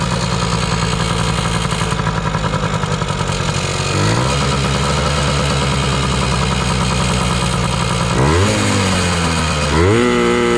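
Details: 2000 Yamaha PW80 two-stroke on a new genuine Mikuni 21W-14101-01 carb at factory settings, replacing a leaking Chinese carb: steady crisp idle, revs climb cleanly and drop back without stumbling; normal idle and revving.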